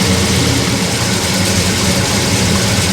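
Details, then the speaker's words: Monte Carlo V8, automatic, no driveshaft, first start while setting timing: loud, fast, hard-edged idle with a slightly uneven, lumpy beat; about 45 degrees advance at idle, too much, timing to be reduced. "Oh, we're lost way too much. Take some timing out of it. It had like 45 degrees at idle."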